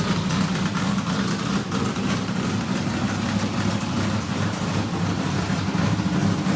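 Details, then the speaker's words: Richard Petty race car, Pontiac-headed small block Chevrolet V8 with new fuel cell, first start in years: lumpy, choppy idle holding steady, no knocks or ticks; good oil pressure, everything fine, normal idle. "fire breathing Pontiac headed small block Chevrolet it's a bad deal so glad to have it running good oil pressure everything's fine"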